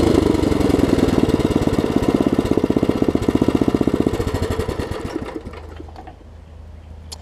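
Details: Craftsman 17-inch rear-tine tiller, 5hp horizontal Briggs, probably 90s, stored years with empty tank: after cleaning, new carb diaphragm and carb screw adjustment, fast even pops then smooth wind-down at shutoff; healthy, super small fuel leak.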